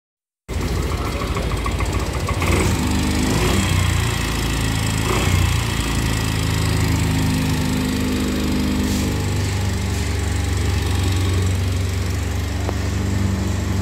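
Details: Yamaha Mio 125 (Mio Z) scooter engine runs with a harsh, gravelly rattle over a steady low drone: rough engine noise.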